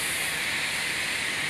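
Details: Pneumatic thermostat in a conference room: constant sharp hiss with no rhythm and no motor, compressed air escaping from cracked, brittle plastic supply tubing at the clip bracket; pneumatic air leak hiss.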